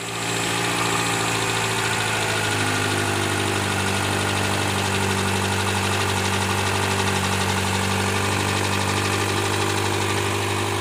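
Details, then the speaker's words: 2012 Hyundai Elantra, 72k miles, cold start via remote start: fast rough idle with a gritty grinding/knocking undertone, also on cool starts and under extra throttle uphill; starter and engine checked fine, source not yet found. "It's been making a weird grinding noise when I start it up on a cold startup or even if it's just maybe like two notches above completely cold on the startup."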